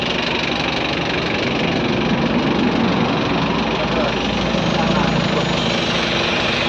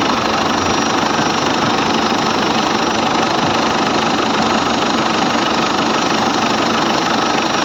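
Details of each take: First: Ford Everest diesel, hard starting in the morning, cranks with an even churning at about four beats a second that never catches; traced to injectors back-leaking, especially number two. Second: Ford Everest diesel with morning hard starting, first start after the four injectors were tested (opening pressure 170–180) and refitted: catches and settles into an even, steady idle with no misses or knocks; normal idle.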